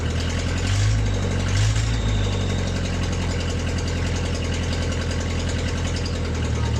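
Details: MG on its first start in 22 years, after a new ignition switch, plug wires, starter relay, and gas fed through a filter directly to the carburetor. After an earlier stall with a stuck choke it runs smoothly: steady low rumble, even firing, no knocks or misses. Normal idle.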